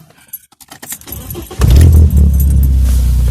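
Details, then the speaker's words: BMW E36 after adding engine oil stop-leak for an oil leak, oil slightly overfilled: key jingle, quick crank, then steady even idle with no ticking or knocking; already sounds much better, warming up. "sounds better already let it run a temperature for a bit make sure your temperature gauges in the middle already sounds much better"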